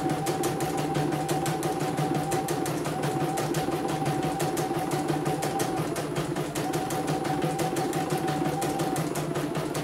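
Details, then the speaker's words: CNY embroidery machine (M21), sent from Mojokerto in a fully jammed state with heavy rotation, test run after servicing before shipping. Quick, even stitching clatter at a steady rate with no knocks, skips or binding: runs smoothly, no problems, ready to ship. "Oke, tidak ada kendala ya. Saya nyatain ini. Oke. Sudah halus, tidak ada kendala. Jadi siap dikirim ya."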